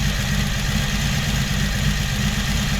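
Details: 1982 Honda Magna V45 V4 after carb reinstall, valve clearance check and carb synchronization, warm: steady low burble with an even beat and no odd knocks or misses; healthy, well-synced idle.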